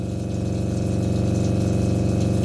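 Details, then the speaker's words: RV water pump running with kitchen and bathroom sinks open, phone on the floorboard and then carried to the bathroom: loud steady low buzzing drone with fast pulsing rattle, pump vibration heard throughout; before fitting two 5-foot vinyl tubes to reduce noise. "you can hear the vibration from the water pump all the way in the bathroom"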